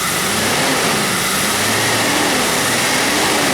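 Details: Jeep Cherokee 4.0 after new radiator, fan clutch and stainless exhaust manifold: loud steady rush of air over the revving engine, strong and even with no rattle; new fan clutch engaging properly.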